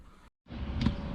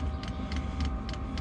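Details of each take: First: Diesel heater in a van just restarted: sharp, regular ticks about every 0.4 seconds over a low hum from its fuel dosing pump, before the pump is removed from the van body, wrapped and suspended to quieten it. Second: Diesel heater fuel dosing pump mounted on van body, heater just restarted: sharp regular ticks about three per second over steady fan hum; normal pump ticking, before isolating the pump to quiet it.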